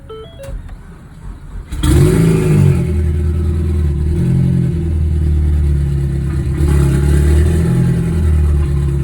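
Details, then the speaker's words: Ford Focus just started and warming up, after recent spark plug and fuel injector replacement; timing suspected off. It catches and settles into an uneven, stumbling idle; scanner shows misfire count six, cylinder three misfire. "Misfire count six. So is she misfiring? Really? So, we have a misfire detected cylinder three."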